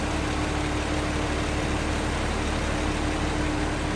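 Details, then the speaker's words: 1925 Pierce-Arrow Series 80 Opera Coupe engine idling after a restart past a touchy ignition switch: slow even low rumble, steady firing beat, no misses, ticks or knocks; runs smooth and fires right off. "Once it's running, maybe seems to run smooth. Fires right off."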